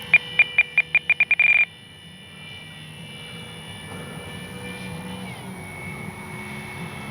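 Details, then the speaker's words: FMS P-47 Thunderbolt 1500 mm RC warbird on its maiden flight, with a brushless 4258-KV460 motor, 80 A ESC and balanced prop: a thin, steady high whine over the motor drone; owner says it is not the props or motor, source unknown. "Can't figure out what that whining sound is. It's not the props, not the motor."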